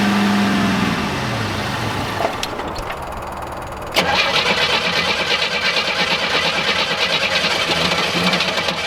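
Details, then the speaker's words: 1987 Cutlass G-body abandoned car cranks at about three turns a second without firing; no gas reaches the carburetor, and the owner suspects the fuel pump, a plugged filter or a sticking float; cranks but no start. "Alright, so this thing is definitely not pumping through the fuel pump, so I want to pull the fuel line off of the carburetor and crank it over and see if this fuel pump is spitting out, or if we have a plugged fuel filter or a sticking float."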